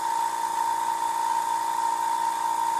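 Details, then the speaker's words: Iwata Power Jet Pro compressor feeding an airbrush at about 20 psi, regulator unadjusted. Tank drains to 60 and the motor kicks on at 55: steady, fairly quiet even hum with no knock or rattle; refilling normally. "the air in the tank is slowly dropping it's at 60 now I've got a constant 20 here this is pretty much tank pressure here because this is unregulated"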